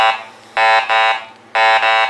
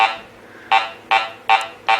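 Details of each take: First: Garrett Ace 400 metal detector in custom mode with everything above iron notched out: repeated warbling mid-pitch tones about once a second as the coil passes nails, iron targets still signalling through the notch until one more segment is notched. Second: Garrett Ace 400 metal detector air test on a small BB at about 3 inches; five short mid-pitched beeps roughly every 0.4 seconds as the coil sweeps, clean target response.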